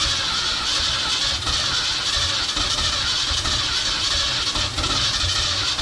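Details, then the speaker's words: 1969 Ford F-250 V8, sat since 2001, previously stuck engine: harsh cranking churn with scattered weak firing on only a couple of cylinders, no run; owner suspects transmission oil fouling plugs or low compression. "probably either that transmission oil got uh fouled at the spark plugs or low on compression or a combination of both but uh it's it's firing on a couple cylinders"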